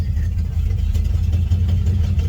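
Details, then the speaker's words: 1976 Nissan G60 Patrol petrol six, starts well: catches and revs with an uneven, lumpy low beat; rough running that sounds typical for the model and wants a tune-up, cause not confirmed. "oh listen to it she's bodyy per and typical D60 so it needs a bit of a tune up"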